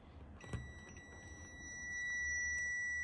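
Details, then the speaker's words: 1978 Gottlieb Close Encounters pinball (System 1), first power-up: multimeter continuity test across 2N3055 solenoid 8 driver transistor, collector to emitter, gives steady unbroken beep, a dead short; transistor has failed, pre-driver tests okay. "dead short so this transistor has indeed shorted"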